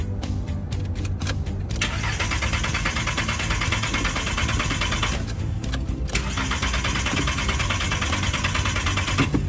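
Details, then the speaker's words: Car that would not start after refuelling at a gas station: starter cranks steadily in long bursts but the engine never catches. "you see it indeed cannot star go ahead and have a look there are usually two reasons why a car won't start either not oil either don't wire"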